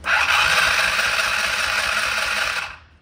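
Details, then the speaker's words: Polaris RZR 170 found in garbage, cranked with carb off and throttle open: starter spins the engine fast and light, about four even beats a second, with no compression chuffs; no compression, like a hole in the jug. "nothing no compression this thing it felt almost like there's a hole in the jug or something bro"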